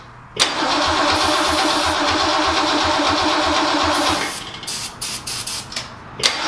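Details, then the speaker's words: 1966 Lincoln Continental V8, garage stored and unregistered about 9 years, first start: catches with a sharp pop backfire, runs rough and uneven, then dies; smoke from tailpipes, front exhaust leak, likely needs distributor cap and plug wires. "Get it started again. Woo! Backfire. Smoke coming out of the tailpipes though, that's good."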